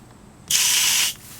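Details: 4-gallon Water Worker pressure tank at 45 psi, isolated to one toilet, valve opened with the mic close: a hard hiss of water for about half a second, then quiet, and the pump does not cut on; the tank holds pressure normally.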